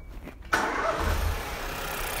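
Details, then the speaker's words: Ford Fiesta direct-injection petrol after repairing a stuck-open overfueling injector, oil and filter changed: short crank, catches cleanly and settles into a steady, even idle with no stumble; running sweet. "that's running sweet."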